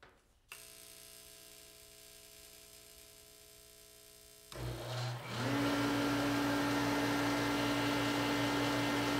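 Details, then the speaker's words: Dayton 3VE52D 210,000 BTU kerosene torpedo heater, after air pump cleaning and line blowout: faint hum, motor settles into steady whir with no burner roar, fails to light; owner believes pump pressure adjustment, backed out from max, left pressure too low. "well fail so I think I know what happened I adjusted this back out because it looks like it was pushed all the way in so it was I believe at the max pressure"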